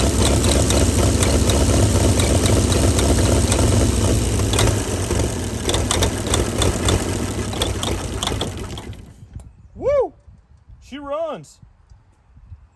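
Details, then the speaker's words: 1937 Chevy truck six, sitting about 45 years, rough lumpy idle about four beats a second on ether/starting fluid, then cuts out; carburetor froze up from running on ether that long, but it runs. "runs the carburetor froze up from running her off the old ether that long but she's a runner"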